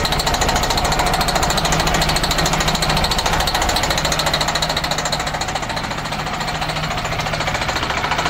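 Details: MCI coach with Detroit Diesel S60 DDEC6 (425hp @ 2100rpm) running on 3 of 6 cylinders: rough pulsing chug of about three beats a second, a misfire traced to the external engine wiring harness, not the injector harness.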